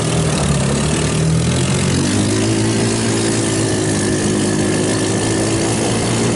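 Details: Hammerhead off-road go-kart, 150cc GY6 engine, after carburettor rebuilt and cleaned of water and jelly contamination: brief blip then steady, even idle with no hunting or stalling — normal idle.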